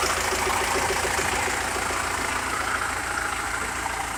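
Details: SMD tractor diesel, first start after full rebuild with replaced piston group and head from another tractor, running without turbo: steady, even diesel idle clatter, no knocks or misses; normal healthy idle.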